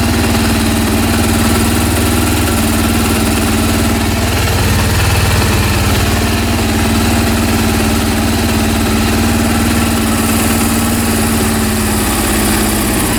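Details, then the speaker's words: Honda CB400 after home engine rebuild, third start attempt: steady idle with uneven lumpy mechanical beat underneath; covering an intake raises rpm and the sound disappears; abnormal idle, cause unclear. "all right and engine has very strange sound strange noises uh there's strange sounds drinking noise from uh restaurants what is it ah very strange this is very strange situation"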